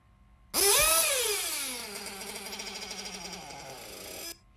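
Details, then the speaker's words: RC 1/8 nitro engine, said to be in fine condition: a high, shrill rev falls away into a wavering, pulsing idle that never settles, then cuts out; low-speed needle set way too lean. "you can just tell that the low speed needle is way too lean"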